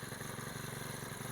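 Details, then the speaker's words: Honda GX35 trimmer engine after a cylinder sleeve rebuild: even, steady low putter idling around 1,000 rpm with no misses, knocks or smoke; it reaches 4,000 rpm maximum and runs normally. "เดินเบาอยู่ที่1,000รอบนะเดี๋ยวจะให้ลูกค้าดูอย่างเงียบเลยนะครับตัวนี้เนี่ยรอบเดินเดานะครับลองเล่นอยู่ไม่มีควันเลยนะ"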